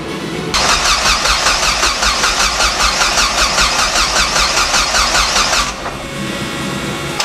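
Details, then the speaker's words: Rebuilt car after rebuild, weak battery: starter spins engine briskly at an even two to three beats a second for five seconds but never catches; cranks healthy, owner suspects missing ignition run signal from PCM with key. "as soon as i can figure that part of it out then i'm sure this thing will start because everything else is there when i crank it over it sounds healthy"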